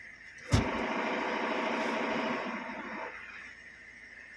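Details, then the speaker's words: Maruti Suzuki S-Cross 1.6 diesel, 129,300 km, idling in neutral: light, uneven metallic rattle from the bellhousing that stops when the clutch is pressed; gear/clutch plate noise in neutral. "इसमें दिक्कत है neutral position पर गाड़ी में gear आवाज़ करता है वह गलत दबाने के बाद आवाज़ बंद हो जाती है"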